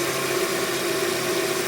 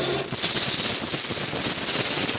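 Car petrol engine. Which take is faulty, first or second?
second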